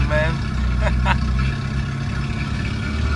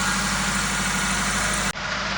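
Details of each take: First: 2008 Toyota Ractis 2SZ-FE, first start after home engine rebuild for oil burning: loud raw unmuffled note with uneven hunting idle, caused by a disconnected throttle body vacuum hose and disconnected exhaust. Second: Toyota Ractis (about 2008) with 2SZ-FE engine, rebuilt at home for oil burning and smoking, running after vacuum lines and exhaust were reconnected: steady, even idle with smooth low hum, no knocks or misses; normal idle.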